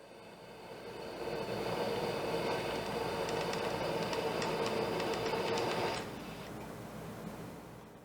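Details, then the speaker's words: Instant Pot RIO Wide Plus (2023) pressure cooking on high for one minute, coming up to pressure: steady hiss with light fast ticking rattle of the float valve that stops abruptly as it seals, normal. "so on that one you could hear the float valve of rattling just a little bit and then you heard it Let It Go sound and it is sealed in place"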